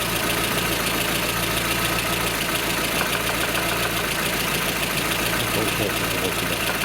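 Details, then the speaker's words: Lada Kalina idling in neutral: light, fast tapping about three to four per second over the engine; rattle from excessive camshaft axial end play. "Большое осевое смещение распредвала. Тарахтит."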